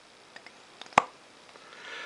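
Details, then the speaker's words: 1930s Onoto The Pen No 5253 plunger-filler fountain pen after new seals: one crisp clean pop as the plunger is worked in a quiet room; normal fill pop, seals holding. "so that lovely popping sound tells us that everything is working hunky dory"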